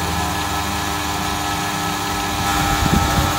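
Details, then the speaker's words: Toyota Corolla Altis alternator after a positive and negative diode modification, energised through its four-pin socket from battery positive: an even, steady humming whir with no grinding. It is charging at nearly 15 V, which is normal operation. "jadi harus dipancing baru bisa keluar strong suaranya dengung Nah itu ya"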